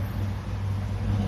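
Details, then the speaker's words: 2010 Toyota Prius hybrid shaking and sluggish, codes P0352/P0353/P0354: low uneven engine drone with shudders and dropouts, not running on all cylinders; three failed ignition coils (cylinders 2, 3, 4) misfiring, one coil replaced earlier, coils to be replaced. "เพราะตอนนี้เครื่องมันเดินไม่ได้แล้วเดินไม่เต็มสูบเลยพูดง่ายเดี๋ยวเราก็จะซ่อมก่อนเปลี่ยนคอยล์ก่อน3ตัวนะ"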